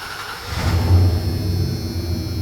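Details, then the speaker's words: 1994-02 Dodge Ram 1500 after fuel pump module replacement and priming: short crank catches quickly, revs briefly and drops into a smooth steady idle; engine starts and runs normally. "that sounds nice. Now we're going to, of course, check for some leaks."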